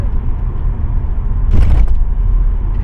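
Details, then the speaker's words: 15-year-old Audi A4 at about 80,000 km, driving over a road ridge around 50: low rumble then dull heavy thump with rattle; also creaks when cornering; cracked control arm rubber bushings found. "Turning around the corner will also have creaking creaking thoughts."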